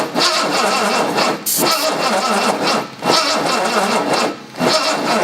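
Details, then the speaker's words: 1970 Jaguar E-type coupe after sitting about 4.5 years: repeated laboured cranking bursts with short pauses, and the engine never catches. The distributor's mechanical advance springs are not working. Slow cranking because the battery is getting low. "battery's getting low sorry i know what that is"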